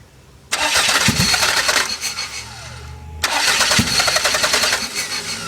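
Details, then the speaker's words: Toyota MR2 with 3S-GTE turbo engine, hard-start/idle problem: cranks and fires, runs rough and uneven, idles about 30 seconds, makes a little boost, then stutters and stalls no matter what; restarted and stumbles again. "that's about all I get out of her she will rev I've got her to idle for just like 30 seconds she'll get into boost she has made a little bit of boost but then she stutters trying to go back into it and she'll eventually just die out no matter what I do"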